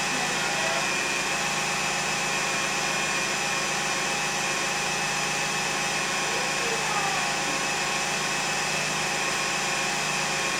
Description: 2001 Lexus RX300 making Whining Noise